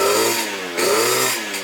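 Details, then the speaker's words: 120cc stroker Honda Elite two-stroke scooter on its first run before tuning, with very long throttle travel: uneven, sputtering, blubbery revving between blips; the owner suspects it is running very rich or has a fouled plug. "this thing sounds like it's running super rich or it has a fou plug or something"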